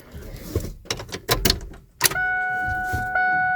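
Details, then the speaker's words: Ford F250 on a chilly, rainy day, first key-on after a new fuel pump kit install: after clicks, a steady high electric hum starts and steps up slightly once; normal fuel pump prime, theft light out. "oh I heard a fuel pump Prime theft light out"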